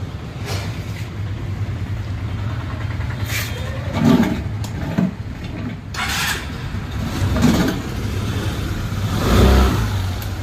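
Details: Suzuki Access 125 scooter after timing chain, rocker and camshaft replacement: engine blips up cleanly several times and drops back to a steady idle. No rattle or valve-gear tapping; normal revving.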